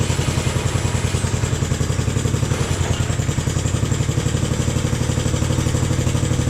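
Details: Jacobsen Chief 1000 tractor, Kohler single-cylinder (K241 fuel system work), after draining gas and new fuel line: steady even thump at quick idle, no misses or knocks; took a few cranks to get gas flowing, normal idle.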